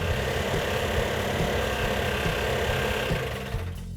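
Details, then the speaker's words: Freshly rebuilt 340 V8 in a Cuda, built about a year earlier and left sitting, running with an uneven, stumbling lope on about six cylinders; compression test showed low compression, owner suspects rings stuck, sand later found poured in. "we actually had three problems when we initially fired it off it was running on about six cylinders"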